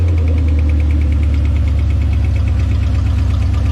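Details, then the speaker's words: 1969 Plymouth after a V8 engine swap, first run: deep, even V8 burble holding steady at idle with no throttle applied and no stumbling; a healthy idle. "Sounds like it's idling. >> Yeah. Yeah, it's idling. Good. You didn't even hit the gas, did you?"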